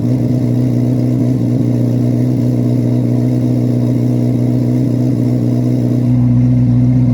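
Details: 2024 Chevrolet Corvette C8 Z06 V8, cold start and free revs in garage: deep steady idle with an even smooth beat and a clean change in tone near the end; healthy and settled.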